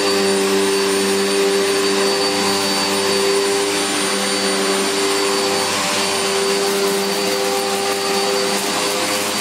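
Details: Electrolux Filtaire 1600W vacuum after stripdown, repair and refurbish: smooth steady high-pitched whoosh with even motor whine, no rattles or speed wobble; motor sounds healthy and picks up everything.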